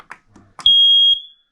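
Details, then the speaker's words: Newly installed replacement smoke alarm, swapped for a 21-year-old unit, pressed for test after battery fitted: one loud, steady high-pitched beep about half a second; alarm working normally. "it was loud and it's ready and it's done and it's now good for the next 10 years"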